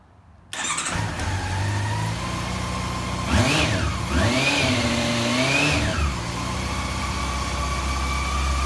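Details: Honda CB400 after fuel pump replacement and tank refit: fires straight up, settles to a steady idle with two smooth rev swells dropping back cleanly; healthy running.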